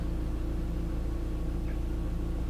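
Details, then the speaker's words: Mk1 Audi TT Quattro Sport 1.8T turbo four, warm day, coming down off cold start: smooth even low hum at idle with no rattle or tapping (a rattle would suggest a flywheel problem); normal warm idle. "And that is a 1.8T engine in very good health."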